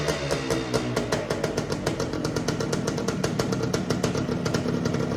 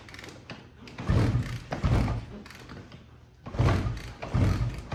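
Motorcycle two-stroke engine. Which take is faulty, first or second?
second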